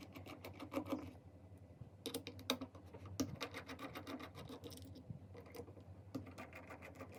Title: Seagate Hard Disk Drive Suddenly Broke - Constant Knocking Sound